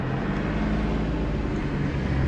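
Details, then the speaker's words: Suzuki Kei Works 4WD after viscous coupling replacement, reversing: smooth, low, even rumble with no rhythmic droning or grinding that used to occur when backing up; drivetrain sounds healthy, problem resolved. "ゴゴゴゴ―ってそれが無いな！ちょっと待ってやった！解消されてるお！"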